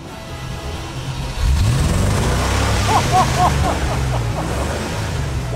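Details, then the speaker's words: 1986 Range Rover after refurbished fuel tank, new fuel lines, filter, pump and sender: cranks briefly, catches and settles into a smooth even run with a couple of clean revs; runs beautifully. "that is fantastic Johnny's not wrong it runs beautifully"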